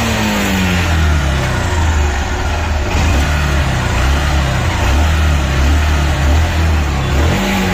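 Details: Bajaj CT single-cylinder motorcycle after an engine noise repair (old piston replaced, rings and carburettor set): revs up and down smoothly with a clean, even exhaust note and no ticking or knocks.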